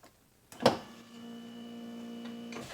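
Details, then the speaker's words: 1999 Pontiac Grand Am GT 4-door, about 20 years old, rear window regulator: click then steady motor hum about two seconds, motor works and pulls glass down but won't push up; suspected broken window clip. "So obviously the motor's working. Now it's pulling down, but it's just not pushing it up."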